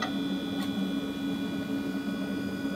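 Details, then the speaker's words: Tray-loading Blueberry iMac G3 with original 333 MHz PowerPC G3 CPU, before its G4 upgrade, waking from sleep: a steady whine with faint ticking, the hard drive noticeably louder than it should be. "here that the hard drive is quite noisy a year"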